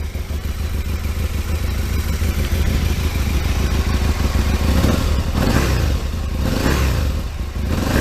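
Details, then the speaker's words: Aprilia RSV Mille 1000 V-twin after swapping stock silencer for a larger aftermarket exhaust can: deep, fairly subdued idle rising smoothly with throttle blips, much louder than stock; normal running. "let's see how much noisier it is I'm hoping I don't have to use a choke oh my God what a difference that is"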